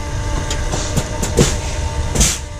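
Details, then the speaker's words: Paccar X15 truck after fuel filter change, key cycled on: low steady primer pump drone with a few clunks as it loads up, pressurizing and priming the fuel system; normal fuel primer pump operation. "it here the pump get under load so it's pressurizing that fuel system it's it's priming that fuel system"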